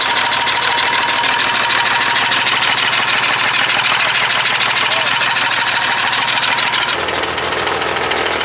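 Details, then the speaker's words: Perkins 6/354 diesel in a White Super Power truck, first run after many years: loud harsh chuffing idle about twice a second; rough running, owner suspects loose tappet or stuck valve, oil pressure gauge not working. "I reckon there's a loose tappet or something the valve might be stuck because it's tapping and it's chuffing out the"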